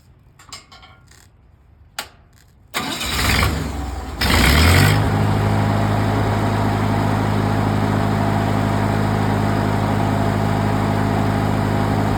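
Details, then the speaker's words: Used engine-driven welding machine load test with a rod shorted out and output turned to 100% in the 240 range: quiet clicks, then the engine revs up from idle to a steady, strong drone without hunting or stumbling. Normal, healthy under load. "Go 240 range. Hear how that machine idled up strong."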